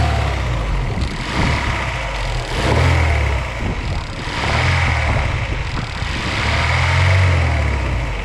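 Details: Daewoo Lanos engine knock, owner says it has knocked about two months, worse under load and when hot, less when cold: deep knock under the engine swelling with each throttle blip; mechanic suspects crankshaft bearings knocking.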